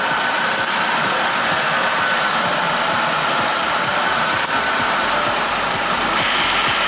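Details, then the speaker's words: Chrysler PT Cruiser idling with the A/C on while R-134a is added at the low-pressure port: a loud, even hiss, then a slight shift as the compressor clutch kicks in and runs normally. "You'll be able to hear the compressor kicking in, I think. So you just go and put 1.5 cans. Okay, right there, it just kicked in."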